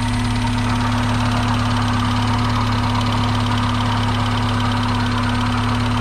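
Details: Mazda Miata revived after being abandoned, first runs, cooling system not yet burped: four-cylinder idle with a light, fast tick; ticking was extremely loud at startup and then quieted; cause unconfirmed.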